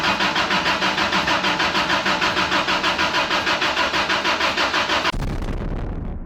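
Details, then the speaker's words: 1990 Isuzu pickup, cranked after a cylinder repair with spark plugs disconnected to build oil and bleed the fuel pump: steady cranking at about three beats a second with no firing; the new mechanical fuel pump would not pump fuel. "So, through many hours of pain and struggling, my new mechanical fuel pump would not pump fuel."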